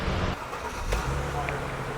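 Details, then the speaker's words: Mercedes E350 after replacing defective alternator with remanufactured unit: low even idle murmur, no misses, ticks or knocks, no dash lights, charging about 13.7 V; normal idle. "so as you can hear the engine is running there are no lights on on the dash everything looks good"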